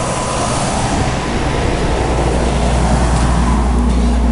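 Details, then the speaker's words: Goodman GPH heat pump package unit, installed in 2009, just after its leaking evaporator coil was replaced and weighed in with 9 lb 6 oz of charge. Running in heat mode at 355 high side and 104 low side. Steady low hum and airflow hiss, running normally. "you see we're still running in heat here an unknown temperature on the inside of the house right now 355 on the high side 104 on the low"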